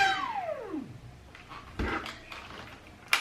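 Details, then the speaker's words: Dyson V6 cordless vacuum, cleaned and battery fully charged: motor whine starts high and sweeps down to nothing within about a second, then only handling clicks; LEDs blink a fault code, battery suspected but not confirmed. "Did you hear that? It worked for maybe 1 second and then it's off."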